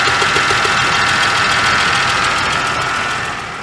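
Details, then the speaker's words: 2012 Chevrolet Traverse 3.6L, codes P0300 P0304 P0354, new plugs and cylinder 3 and 4 coils: uneven lumpy running with a regular skip while cranking and firing; dead cylinder misfire, zero compression from a hung valve. "that's an interesting sound that does not sound good she's firing i noticed it had a skip when i was cranking on it that is really not good"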